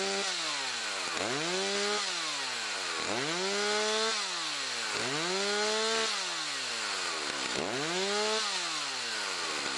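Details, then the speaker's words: Chainsaw, unused about two weeks, warming up: repeated throttle blips climbing quickly and falling back cleanly to idle as it gets freer revving, warm enough to use; normal warm-up revving. "Can you tell when the engine's a little bit freer revving? At that point in time, it's warm enough to slowly start to use."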